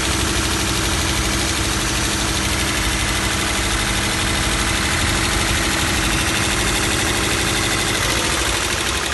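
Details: 2012 Toyota 86 idling then revving, rattle audible inside the car: fine rapid rattle over the running note following engine speed; source not pinned down; engine rattle.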